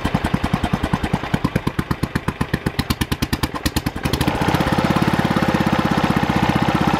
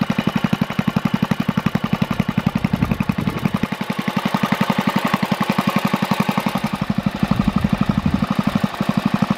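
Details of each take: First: Early Kohler K181 8 hp single-cylinder engine for a Panzer T75 tractor, first bench run: even sharp thumps about 90–100 a minute, firing a little hard because early K181s have no decompression lobe on the cam. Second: Early Kohler K181 8 hp single-cylinder engine rebuilt on the bench for a Panzer T758ES tractor, new points and coil wire: crisp even beat about four firings a second, slight startup smoke burned off, no knocks; healthy.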